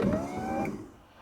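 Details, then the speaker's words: 1973 Lotus Europa door with a newly fitted GM electric window motor (same as 1970s Cadillac/Corvette) and a fixed regulator. A quick, clean whine rising in pitch for about half a second, then a stop; fast, healthy window operation. "The windows are faster than the car. Right. Yeah, I think it's like 1 second top to bottom."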